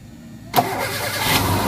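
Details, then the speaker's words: Hyundai Accent/Verna after replacing the failed starter motor (likely broken bendix/gear) with a used Mitsubishi unit: silence, a brief crank, then the engine catches at once and settles to a steady idle. Normal start; the starter was the fault. "Nah hidup ya, ternyata dinamo starter."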